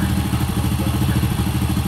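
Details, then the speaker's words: Honda Supra motorcycle at idle after replacing the cam chain and sprocket for a tek-tek noise: smooth, steady idle with a quick, even pulsing patter from the exhaust, which is this model's normal exhaust character. "halus ya cuma ciri khas daripada motor ini yaitu kayak ada suara sering-sering seperti itulah beda sama Grand sama legenda ya rasanya itu di knalpot ada suara yang sering-sering gitu itu ciri khas motor ini"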